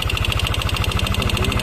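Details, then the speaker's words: Yamaha NMAX with a noisy engine: quick, even ticking in step with the idle, heard through the exhaust; suspected to come from the valve rocker arm or camshaft, before the head was taken apart. "Dilihat dari suaranya, sepertinya berasal dari lengan rocker katup atau poros bubungan."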